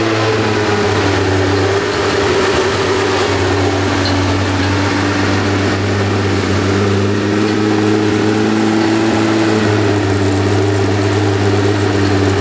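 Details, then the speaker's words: New 600+hp air-cooled Porsche 964 Turbo engine in an RWB 911, first run on a crude map with no cam sensors, idling: loud steady idle with a constant hum and harsh rasp on top; owners think the fan is hitting. "oh that's the fan hitting i think a little bit yeah yeah well i think that's a big woo hoo personally"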